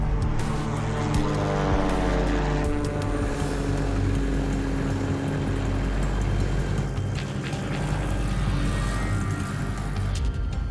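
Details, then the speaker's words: Old Cessna, engine on a first test flight before a ferry trip from California to Poland; a deep, steady propeller drone holds even with no misses or surging, and the engine sounds good and very solid. ">> The engine sounds good though so far. >> It's very solid."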